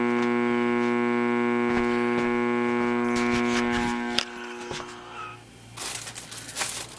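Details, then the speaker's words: Amplifier at full volume with no input, powered from a wall-wart supply instead of the quiet transformer supply with LM regulator: loud steady low hum with buzzy overtones, then cuts off; 60-cycle mains hum, supply suspected. "It sounded more like a power supply or 60 cycle type hum. Noise, and so that was a little strange for that, because they usually don't do that."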